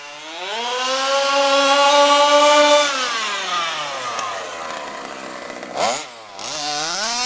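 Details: HPI Baja SS with a Zenoah G320 two-stroke, rebuilt, on 91-octane ethanol-free fuel with Bel-Ray oil at 32:1: raspy buzz climbs, holds, falls and blips; slightly lean on the high-speed needle, later corrected.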